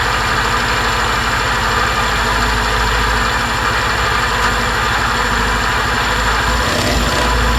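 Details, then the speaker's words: 2020 Suzuki Address 125 scooter with drivetrain removed: steady idle with busy, fast mechanical clatter over the engine note; unknown noise that disappears on throttle is confirmed coming from inside the engine, not the drivetrain. "Sau khi tháo bộ phận truyền động và khởi động máy kiểm tra thì xác định có tiếng ồn phát ra từ động cơ."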